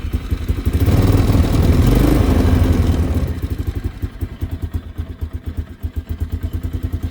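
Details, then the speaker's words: 2002 Polaris Sportsman 500 H.O. with 500 engine hours, cold start on a chilly day on choke: throttle blips rise and fall, then an even single-cylinder thump at about four beats a second. Normal cold start on choke. "Give her a couple of revs, let her choke in. She runs like really good though, gotta say."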